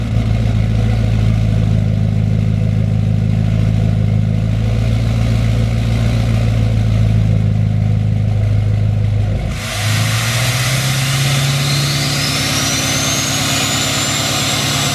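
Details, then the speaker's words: 2020 L5P Duramax diesel pickup, cold start with factory stock turbo before a Stealth 67 turbo install: heavy diesel clatter settling to an even idle with a steady turbo whistle; healthy stock cold start. "Here's the cold start of the truck. Factory turbo. Everything factory with the turbo."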